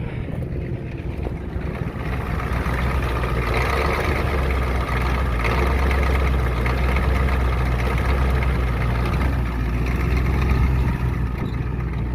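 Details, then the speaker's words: 1993 Ford 7.3 IDI turbo diesel, test run before engine swap, partly warm at about 10 below, not revved: heavy uneven, lumpy idle clatter; the injection pump is faulty. "if it sounds like a titling rough that's because the injection pump is messed up"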